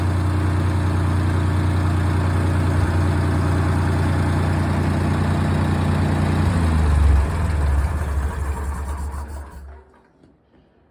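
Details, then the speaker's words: Ford 2000 tractor neglected over a decade, first run after reassembly; low idle drone holds, surges briefly, then dies as the carburetor floods and runs over; runs great on carb fuel alone with gas shut off, carb to be pulled. "okay it runs but we have carburetor issues uh it's if I uh start it up and let it go it will flood itself out the carbridge is running over"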